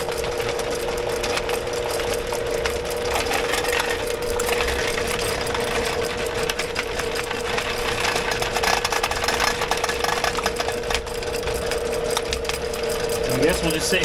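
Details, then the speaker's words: Drain machine cable in a house sewer line: steady motor hum with a constant mid tone and gritty chattering as the cutter digs through roots; the cable goes from loose and floppy to tight while cutting. "it's going it's digging through it thank you yeah it's digging through it Mike you see how the cable goes from loose and floppy"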